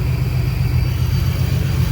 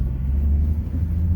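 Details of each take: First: 2011–14 Ford Mustang 3.7 V6 idling after a BBK catted X-pipe repair: steady rumble with a soft regular puffing tick about four per second, a small exhaust leak; stripped header threads were tapped and the bolt replaced. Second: 2011–14 Mustang 3.7 V6 with BBK catted X-pipe, six-puck clutch and aluminum flywheel, test drive after fixing a ticking header/flange leak: deep, even exhaust rumble, no ticking or puffing; exhaust now sealed and normal.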